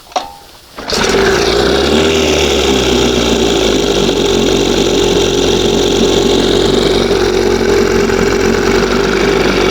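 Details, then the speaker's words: 1971 Johnson 20 hp two-stroke outboard after a throttle-cam and butterfly adjustment. It catches, surges up and down, then holds a high buzzy idle. Idle is unstable whichever carb is fitted; owner suspects an air leak somewhere, not confirmed. "It does the same thing every freaking time. It's too high. It's too low. It's too this. It's too that. Just not freaking getting it. Unless there's some kind of weird air leak or something sucking a little air somewhere."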